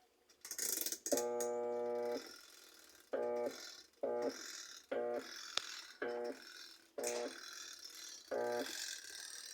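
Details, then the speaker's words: Sugar twin-tub washer, plugged in and switched on: a buzzing electric hum in short bursts with no spin-up. The motor stalls under load and lacks power to wash. "problema dele é um motor que trava né ou seja o motor travado"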